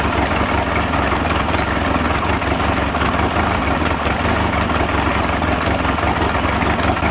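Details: Mid-1990s Mercury 115hp inline-4 two-stroke outboard on a Ranger bass boat, owner-reported loss of power, rectifier found removed (16 amp stator); steady even low drone at idle, no stumbles or surging. Normal idle.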